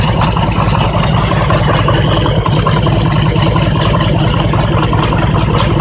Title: Harley Engine Knock - when engine is cold